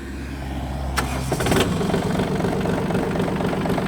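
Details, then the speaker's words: Yanmar AF226 4WD mini tractor diesel with 1472 hours, described as in excellent condition; brief low starter cranking, then it catches at once and settles into an even, steady run, starting very easily. "прилетели очень легко работает ровно"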